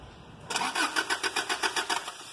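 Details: 2012 Toyota Hilux: starter cranks in even pulses, about seven per second, for around a second and a half, engine never catches; crank no start.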